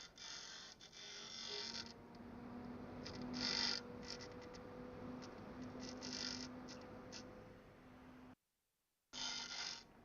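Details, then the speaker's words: Arctic desktop fan that stopped working after about two months of near-daily use. It runs with a steady hum and a buzzy intermittent rattle; it seems to be hitting the grill or something, not confirmed. "yeah it sounds like it's hitting the grill or something so it shouldn't sound like that"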